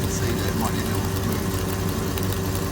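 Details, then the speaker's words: Porsche Cayenne GTS 957 after a new exhaust flex pipe was welded in with a V-band clamp, running while still cool: low, steady idle burble with no ticking or puffing from the joints, and no gas felt escaping by hand; some water drips from the pipe. Normal exhaust at idle. "But there we go. It's running. If I put my hand around here while it's still cool, I can't feel any gas escaping at all."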